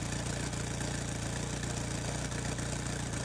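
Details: 1992 Opel Vectra A, automatic, 1.8 engine, before repair: loud, raspy idle with rapid uneven puffing at the tailpipe; middle muffler broken off and hanging, exhaust blowing out unsilenced.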